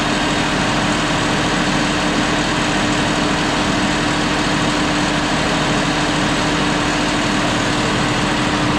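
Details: John Deere 5067E tractor at about 30 hours, running after tightening loose turbo/intercooler boost clamps that were leaking boost: a steady diesel drone at constant speed with no whistle or hiss; normal engine running.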